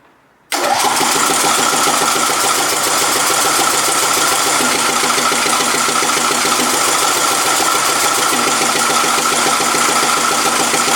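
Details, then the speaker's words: John Deere LA115 lawn tractor, free and run as-is without removing the carb, catches and runs rough and uneven with irregular sharp pops; backfiring while running, though it has good compression. "backfiring. I mean, it really, it's got good compression."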